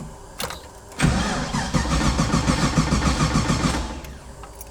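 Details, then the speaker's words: Nissan 240 with swapped GM LS V8 (350 cu in, Corvette fuel pressure regulator): strong, steady cranking but no start because the ECU loses power during cranking. The ECU is fed from an ignition wire that drops out while cranking. "there's certain ignition wires that stay on all the time but there's certain ones where when you crank it takes power so it's killing the ECU"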